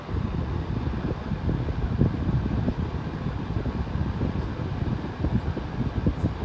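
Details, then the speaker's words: 11-inch Hampton Bay table fan on high: steady deep whooshing rumble with fluttering air, no knocks or squeal; owner thinks the drone is just heavy airflow, cause unconfirmed. "it is moving quite a bit of wind so maybe that's just what it sound like because it's moving so much air"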